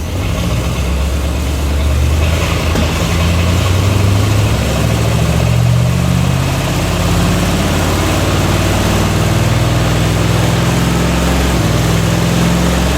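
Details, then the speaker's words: 1945 Cadillac flathead V8 from an M24 Chaffee tank with a rebuilt 1945 GM Hydra-matic, on a no-load test at about 2600 rpm. Steady V8 drone with a slight hesitation and pitch dip as clutches and bands apply. This is a normal upshift. "you can hear a slight the engine hesitates I guess there's a little bit of drag as uh as the clutches and bands uh release and apply uh just enough to load the engine up slightly and make it hesitate"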